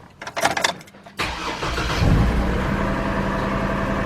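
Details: 2002 GMC Envoy petrol engine that runs rough with no power, P0303 cylinder 3 misfire code, check engine light on: cranks, catches, then settles into an uneven, lumpy idle with visible engine shake; ignition coil later replaced.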